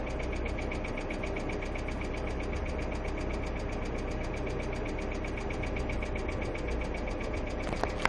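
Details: Hyundai Accent II petrol engine at steady idle with light, fast ticking keeping pace with engine speed, from noisy hydraulic lash adjusters (lifters).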